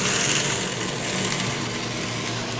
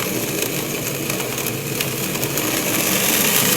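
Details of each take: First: Pump trainer: an electric motor drives an acrylic centrifugal pump through a magnetic coupling. With the suction valve reopened, suction pressure rises and flashing stops, giving a steady, even rushing hum with no gravelly rattle: normal operation without cavitation. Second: Acrylic centrifugal pump trainer driven by an electric motor through a magnetic coupling, with suction and discharge gate valves; harsh gravel-like crackling rattle growing louder as suction pressure is dropped, causing cavitation bubbles to form and collapse.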